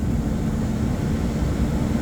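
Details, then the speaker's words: Belt-driven exhaust fan after switching from B64 to B66 belts, aligning the pulleys, tensioning and greasing the bearings: a steady, low, even roar with no squeak. Worn pulleys were thought to be behind the earlier noise. "we're going to turn it on and see what happens noise wise it's quiet it's not making a squeaking noise at all"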